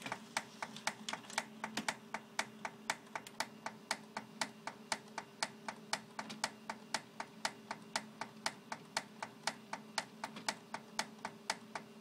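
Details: Xerox 6110 printer making sharp, evenly spaced clicks about once a second over a faint hum, during warm-up and printing; prints come out normal, cause unknown.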